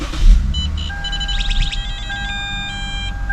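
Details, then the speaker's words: Lexus 3.5L V6 (2GR-FSE/2GR-FKS) restarted warm after throttle body cleaning and relearn, earlier cold-start rpm was high: quiet steady low hum under dash chimes, no hunting; idles evenly at correct speed. "and as you can see this is where it's supposed to be and it's perfectly fine"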